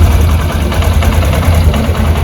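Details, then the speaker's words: Honda SP125 BS6 motorcycle at about 7 km, after replacing the rocker arm with its broken roller bearing: low, even idle with no top-end ticking or rattle. The rocker noise is fixed and the engine runs normally. "सुन सकते sound कितना मीठा हो गया"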